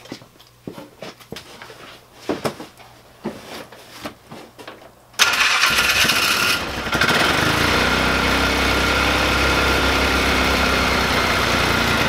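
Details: 2005 Polaris Ranger 500 UTV, a former non-starter, after cleaning parts out and refitting the gasket: after some handling noise the engine catches at about five seconds and settles into a steady, even idle with no misses.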